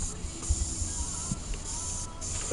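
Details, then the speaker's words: Mitsubishi Evo boost leak test with shop air through the turbo inlet: steady high-pitched hiss of air escaping at the throttle body's throttle shaft (TPS) seals, which are to be replaced with new seals. "so now that you guys know where the leak is which is right there on the throttle body"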